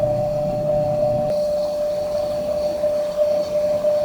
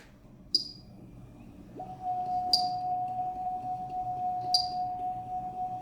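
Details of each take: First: Edelkrone Slider 1 v2 camera slider with the carriage travelling left at 100% speed before teardown: a steady, fairly loud mid-pitched hum with a grinding roughness, louder than it should be; owner suspects dry, uncleaned parts needing silicone grease. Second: Edelkrone Slider 1 v2 motor after teardown, cleaning and reassembly: clean steady high whine for several seconds, no grinding or scraping any more; motor still whines but grinding fixed.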